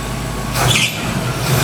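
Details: 1968 Mustang V8, first start after fixing bad voltage to ignition (no spark at plug): even, steady idle with smooth low rumble and brief hiss; running smoothly, belt needs tightening.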